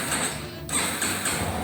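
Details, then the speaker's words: Yamaha Fazer 250 after starter motor repair, fresh Repsol oil and filter change and new battery: quick even whirring crank with clean ratchet sound, no grinding or clatter; starter engages and spins normally. "vamos testar o motor de arranque para ver né isso aí ó trocado óleo e filtro com Repsol sem barulho esquisito"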